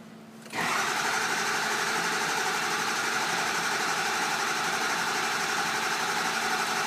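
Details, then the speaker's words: 6.0L Powerstroke crank no-start with ICP too low codes, IPR fully closed: starter grinds steadily about four beats a second without firing, ICP reaching only about 30 PSI while cranking; high-pressure oil rail air test next. "IPR is fully closed off, and we're only getting 30 PSI if we're lucky. With it being that low, the next step would be to do a high pressure oil rail air test"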